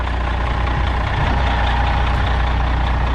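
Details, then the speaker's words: White GMC truck, running after being moved: low, heavy steady idle with no hunting or knock. Owner says it doesn't sound bad for what it is and idle's okay. Normal idle; brakes still need work. "but hey at least it's moved it's running don't sound bad for what it is"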